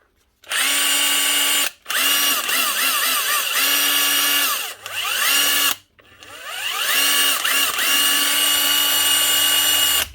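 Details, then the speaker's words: Roughly 10-year-old Bosch 18V Li impact driver after bending the switch contacts to fix poor contact: even high motor whine holding steady pitch through each trigger pull, clean spin-ups, no longer jumping speeds; normal running. "much better but's holding no problem and she's not jumping in the speeds anymore"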